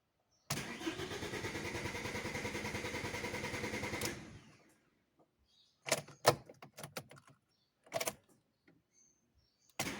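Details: Car that cranks but won't start after hitting a pothole or being vacuum cleaned: steady starter cranking for about three and a half seconds with no firing, because the tripped fuel cut-off switch stops fuel reaching the engine.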